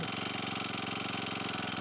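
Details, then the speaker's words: Cold start of an Akita trimmer/brushcutter with four-stroke Honda GX35 engine in its fourth season (2018), original spark plug, nothing changed; primed and choked, small single buzzes at quick even idle with steady firing, no stumbling, normal idle. "Это на холодную она так заводится. Свечу я не менял, ничего не менял здесь."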